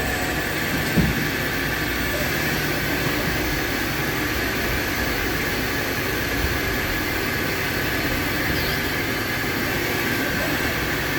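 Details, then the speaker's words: Hurco TMX8MYSi CNC mill/turn lathe, 8-inch chuck, 4,500 RPM, 12-position dual turret, live tooling, 6-inch sub-spindle, dry-running a program: steady even whir with constant hiss, no knocks, rattles or grinding; normal running. "We just dry run in this program so you can listen to the machine, hear it operate."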